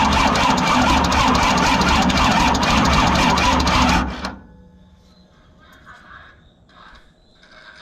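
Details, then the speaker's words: Cummins diesel swapped into a monster truck runs with a heavy, fast, even thrashing beat of about four per second until shutdown. The cause is a new flex plate, likely bent during installation, that is wobbling and needs straightening or replacing. "That sounds terrible. That hurt a little bit."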